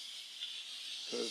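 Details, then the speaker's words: Instant Pot after an 8-minute pressure cook of rice and a 10-minute natural rest, venting: steady, high hiss of escaping steam with no sputtering or whistling; normal pressure release. "okay it's all done venting and lots of steam"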